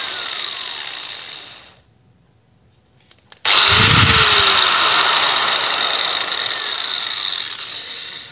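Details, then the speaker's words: Angle grinder, no load: steady high whine winds down slowly, then after a pause rises quickly to full speed and holds evenly. Normal start-up and coast-down. "Ну плавный пуск имеется по звуку вроде бы как присутствует плавный пуск потому что плавно набирает и плавно останавливается Ну не совсем плавно тем не менее быстро останавливается"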